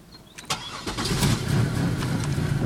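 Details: 2000 Pontiac Bonneville SE won't start: a few clicks, then the starter spins the engine for a couple of seconds without it firing or running; cranks but no start.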